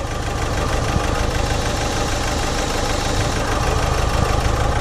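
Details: Renault Master diesel van (about a 71 plate) in limp mode, limited to about 12 mph. A steady knock about three times a second over the diesel clatter; the turbo is smoking and passing oil, boost is barely above atmospheric, and the intercooler pipes are full of oil.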